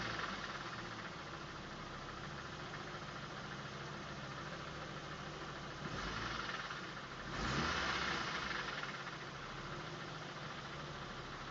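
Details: 2005 Volvo V70 2.4 170 hp petrol engine at idle: faint irregular knocking beneath the steady run; owner thinks it is not fully healthy, cause unknown.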